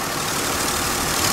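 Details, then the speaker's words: Honda/Acura with its cooling fan relay replaced by a salvaged one, engine idling, A/C switched on to trigger the condenser fan: steady airy whoosh of both fans with no rubbing or whine, normal operation. "so I can just activate the air conditioning and both fans should be active right now this this is the condenser fan and it's"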